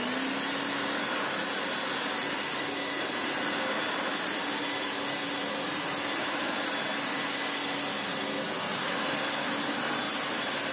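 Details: Hoover Turbomaster U5078 after restoration with new genuine Hoover fan, original bearings and one new brush roll bearing, following motor coil wire damage from an unbalanced fan: steady high-pitched motor whir with smooth airy rush, no rattles or wobble; runs normally.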